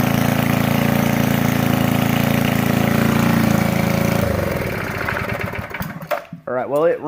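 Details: 1990 Craftsman GT6000 18 hp opposed-twin flathead mower engine after carburettor cleaning, new spark plug and air filter: steady, even chugging that runs smoothly, then winds down at shutoff; runs properly.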